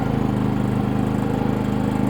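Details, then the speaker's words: Harbor Freight 3500W inverter generator running with eco throttle off under a 30% load (space heater on low): an even, steady engine drone at constant pitch with no hunting, surging or misses, running smoothly. "there's a 30% load and it's smooth right out"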